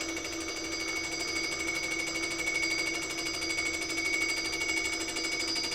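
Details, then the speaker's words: Fly cutter skimming an engine block at 0.1 mm depth of cut, 78 mm/min feed, 750 RPM spindle: steady high-pitched cutting whine with a fast rough buzz; chatter leaving interference marks along the cylinder despite a better finish. "okay so that's the one from that pass and I wouldn't say it was it was quite good but it wasn't as good because the Finish was better but it also came out with a bit of chatter in it as well"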